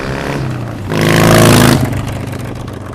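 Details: 2014-up Harley-Davidson Sportster after Stage 1 kit install and Power Vision tune: V-twin fires, smooth rising rev, then steady lumpy idle with no knocks or rattles; normal healthy start and rev.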